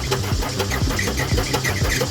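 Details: Gehl 4640 skid steer with Deutz diesel that quit and would not restart: starter cranks rhythmically at a few pulses per second but never catches; fuel shut-off solenoid not engaging.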